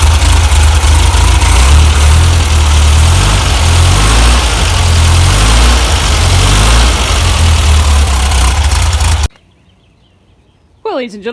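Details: 1967 VW double cab air-cooled flat-four, after replacing the wrong distributor O-ring to fix an oil leak: steady, even low chug with a clean idle rhythm before shutoff; normal idle.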